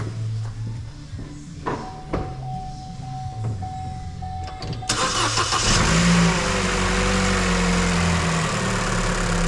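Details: 2015 Vauxhall Astra petrol with a crank-no-start and no fault codes, started after coil pack voltage was checked and the fault repaired: a few clicks, then it fires immediately and settles into an even idle with no misfire.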